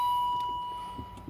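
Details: 2003 Range Rover HSE, one owner, being revived. The key is turned and a single clear chime rings for about a second and fades, with no cranking or engine following: a warning chime during a no-start.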